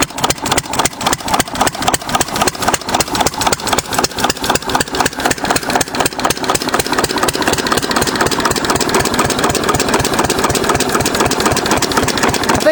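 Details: 6 HP Witte diesel-electric engine, about 80 years old, running again after about 30 years following valve work, oil change and fuel-system cleaning; crisp, even single-cylinder thumps about four a second, steady and unbroken; starts easily, healthy normal idle.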